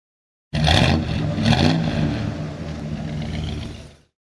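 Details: 1973 Plymouth Duster with a 360 cid Mopar V8, 833 four-speed manual and 3.55 rear gears. Engine catches and fires, takes two quick throttle blips, then settles into a lumpy steady idle. Normal start and revving.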